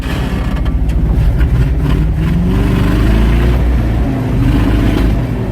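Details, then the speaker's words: 1978 Ford F-600 V8, cold start at -22°F, revved hard toward redline. A deep roar climbing through the revs and dropping back cleanly, with no misses or knocks. The engine is healthy. "Oh, it loves that. You got to get the carbon off the valve once in a while, you know. The thing sounds like an LS swap."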